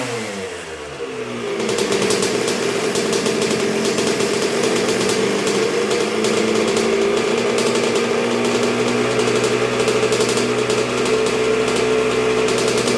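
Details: 1986 Honda CR125R two-stroke at first start and break-in after a new .060-over Wiseco top end: crisp, crackly idle settles low and even with no misses, knocks or hunting, idling low though not yet fully broken in; healthy rebuild.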